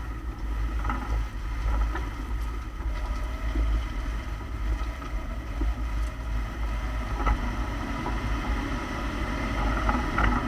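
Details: 2008 Lexus ISF while driving: steady road rumble and wind broken by one sharp clunk from the rear differential, caused by completely worn rear and pinion bushings; replacement pinion and rear-face bushings ordered.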